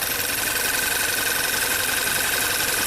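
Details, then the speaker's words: VW turbo direct-injection petrol engine after high-pressure fuel pump replacement and oil change (fuel found in crankcase): starts but idles shaky and ragged under a steady hiss; still misfiring, cylinder 2 identified as culprit. "Well, it started. Ooh, a little shaky there. Well, we fixed one problem."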